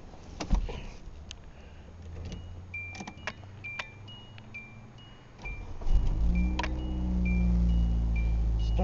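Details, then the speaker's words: 2001 Hyundai Elantra after a starter replacement, started in cold weather: door chime, then a short crank and the engine catches at once, settling into a smooth, even idle with no check engine light. Normal start and idle. "right up runs good and the motor sounds good no check engine light"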